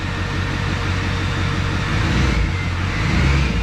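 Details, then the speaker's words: LLY Duramax diesel first start with new turbo, exhaust, intercooler, intake not yet connected, MAF unplugged, after light revs; deep, even unbroken idle with no knock or stumble, really good oil pressure; normal idle. "sounds really good though really good oil pressure"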